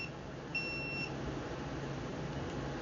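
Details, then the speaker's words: Stacyc 12/16 eDrive throttle test, powered on at full throttle: one clear high half-second beep as the controller steps through the speed modes, showing the throttle works and sends correct voltage. "turn it off turn your throttle throttle full speed turn it on and look at that we are going through the speed programming"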